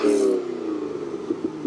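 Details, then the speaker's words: Imported Japanese 90s Corvette C5 Convertible V8 with aftermarket air filter, warm after being driven: smooth, even rev blip that settles back cleanly, with no knocks or misses; normal, healthy engine. "sounds nice doesn't it sounds tasty that and I reckon that sounds really good"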